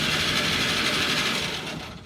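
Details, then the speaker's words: 1940s Chevrolet C30 Blitz (CMP) truck with an old six, fresh battery and a jump wire on the coil. The starter spins the engine quickly and evenly with no binding or hard spots; it cranks over freely and has spark. "well that's amazing it actually cranks over okay so we have checked the spark and we have spark"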